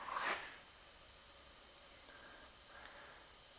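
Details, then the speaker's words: Shop air system of 1/2-inch PEX piping with drops and ceiling reel at full 110 psi: short puff then quiet, steady high-pitched hiss; air escaping past a leaking seal, outlets not leaking. "110 psi is what we're sitting at i can definitely hear the the leak in that seal"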